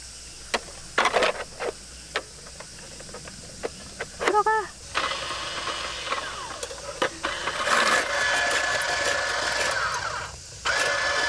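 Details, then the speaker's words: Ice shaver loaded with frozen milk: the motor spins up to a steady, even whir with no crunch of ice, because the blade gap is set too small to bite. Widening the blade gap makes it start shaving. "aber warum mahlt es nicht? Es funktioniert überhaupt nicht... warum?"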